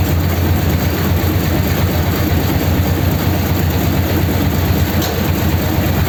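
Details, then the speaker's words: 286 cu in flathead (3-3/8 in bore, 4 in stroke), first start with the truck's distributor fitted: deep, steady rumble at raised fast idle with an even low beat, no knocks or misses; normal fast idle. "that sounds a bit more like it fast idle get the oil splashing about inside that looks like it's okay"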